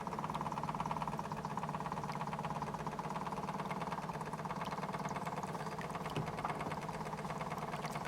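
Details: Model steam boat Edith after hull rebuild, steaming in the bath with front hatch removed so the gas burner gets air: quick, even chuff around three and a half beats a second, steady pitch; small steam engine running smoothly.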